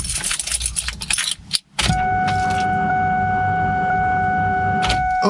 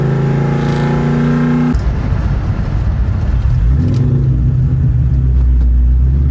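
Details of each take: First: Car newly fitted with a Whipple supercharger and three fuel pumps, still on a ported-Eaton tune, before a cold start: after a key jingle, a steady electric hum with several clear whining tones holds evenly. Normal fuel pump priming. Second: Cold start of a V8 fitted with a Whipple supercharger while still running a tune for a ported Eaton: rough idle with the rumble rising and sagging every few seconds, a power surge from the mismatched tune.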